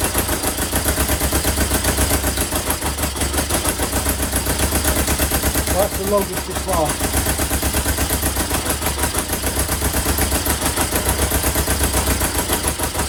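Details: 1977 Kawasaki KZ650 B1 four-cylinder running without its airbox. Ragged, uneven exhaust beat with stumbling gaps and no steady rhythm, and it dies on throttle; one cylinder isn't firing.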